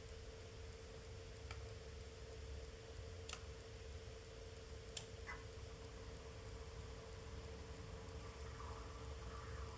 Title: Arctic P14 Max rattling sound at low RPM (~ 5%)